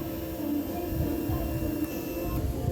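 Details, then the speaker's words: Fuel-injected Raider motorcycle, key on after ECU reset for a spark plug problem, engine not running; faint steady hum with low buzz as the fuel pump primes, wait until it stops before starting; normal priming. "Hintayin pala paps pag mawala yung ingay dito sa fuel pump bago"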